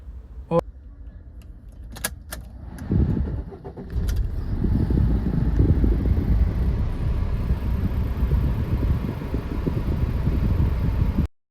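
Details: Maruti Ertiga diesel with P0001 fuel volume regulator code, long cranking and poor pulling, after high-pressure pump replaced: starter catches, then steady even diesel clatter at idle with no misfire or knock; healthy.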